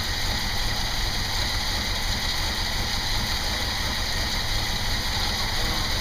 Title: VW Passat GLS B1: Motor läuft unrund